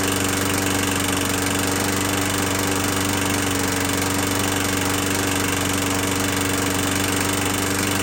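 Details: 21-inch Murray 125cc single-cylinder push mower after valve adjustment, oil showing metal sheen: uneven running with an irregular knocking beat over a steady drone; owner suspects internal damage, possibly from running without breather cover; not worth fixing.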